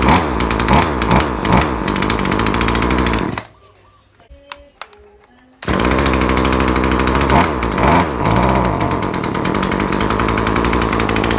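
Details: Chainsaw that stops revving after some use, tuning didn't fix it, trying a spark plug from another saw: uneven pulsing around two and a half beats a second, never reaching full revs; bogging, cause not found.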